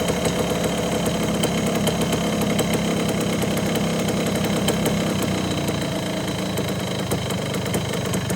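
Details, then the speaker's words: 1974 Honda MT250 two-stroke after rebuild with new seals, NOS piston and rings, honed cylinder, idle adjusted: steady, smooth low burble, no knocks or rattles; running cleanly and healthy. "That sounds really good. I'm pretty happy with how that turned out."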